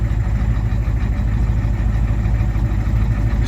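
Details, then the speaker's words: 1987 Ford F-350 diesel after sitting 8 months, restarted on its own without boost; deep, steady, even idle with no misses or knocks; wiring issues noted; normal idle. "It runs. It can fire up on its own without being boosted."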